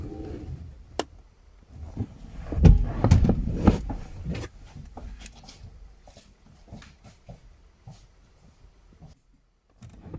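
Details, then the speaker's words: Nissan S13 240SX budget turbo build, key on before first start, laptop connected for base tune. Quiet background with sharp irregular single clicks every second or so, a relay clicking on and off; cause unknown. "i don't know if you guys can hear that but there's a relay that keeps clicking every now and again"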